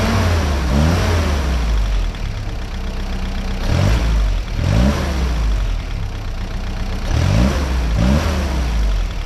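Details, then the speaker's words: 1955 Willys CJ5 Jeep after new exhaust system, mixture change had no effect, timing advanced slightly: engine revs up and falls back cleanly in repeated blips about every three seconds, no stumble or hesitation; smooth response restored. "That's better. [Music] Well, that's something new for me. Uh, the Jeep noticeably ran different with the new exhaust on it."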